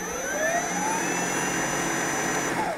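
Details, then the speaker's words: Allett Stirling cordless electric reel mower, reel spinning a constant 1300 rpm regardless of walking speed; smooth, steady whir with faint rising whine, no rattle or scraping; drive noise judged louder than it should be; normal running. "aber die Lautstärke sie ist okay aber sie könnte müsste leiser sein ähm vor allem der das Vortriebs das antriebsgeräusch"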